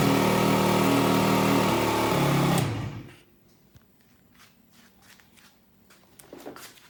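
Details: Aprilia SR50 Purejet with Piaggio two-stroke after rebuild with original cylinder and piston: crisp, even high-pitched buzz without misfires, then clean shutoff; previously would not exceed 6000 rpm.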